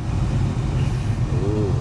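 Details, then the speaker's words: Cabin blower motor behind lower glovebox after reinstallation: steady even low hum, much quieter, vibration reduced, no rattling or scraping; previously made horrible noise and vibration when A/C turned on; major improvement after repair. "more quieter now vibration is not as bad you could definitely hear the difference major improvement"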